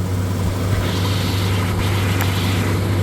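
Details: 1977 Ford F-150 idling; voltmeter reads 14 volts, charging: steady, even low hum, no knocks, misses or squeals; idling smoothly, healthy.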